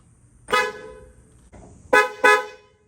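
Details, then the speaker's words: Newly installed high and low note twin horns on a 1962-67 Nova-era car, just wired before inspection; three short loud two-tone honks with clear blended pitch, no sputter: horns working normally. "i just finished connecting my two horns i got the high and low note horns just installed them just crimped the last connector let's see if it works"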